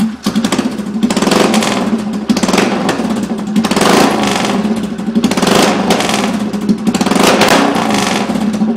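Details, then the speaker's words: 2011 Polaris Sportsman 500 ATV with exhaust removed: loud, raw, booming bark from the open header swelling with each throttle blip, trombone-like. "I'm going to see what it sounds like with no exhaust uh chokes off sounds like a trombone I like that"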